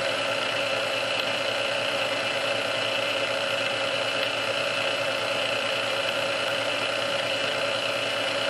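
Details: Restored Sunbeam Mixmaster Model 12 that had been quickly overheating its rebuilt speed resistor, after swapping all internal parts: constant, even whir on first (low) speed for about 2 minutes, no surging, labouring or rattles; original cause unknown.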